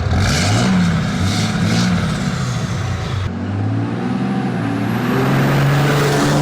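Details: Dodge Ram 3500 diesel fitted with a 2012-to-2020 front-end conversion, driven hard: deep, steady exhaust rumble holds and then settles as the truck slows with a clean tone. The engine brake is working normally.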